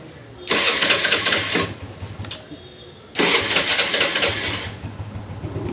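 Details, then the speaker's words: TVS Wego scooter, after a wiring problem was fixed: key on, brake held, self-start switch pressed; two whirring starter bursts, the second longer, then the engine settles to a quiet low idle, so the electric start works normally. "দেখুন গাড়ি এবার start হয়ে গেছে। দেখুন গাড়ি পুরো start."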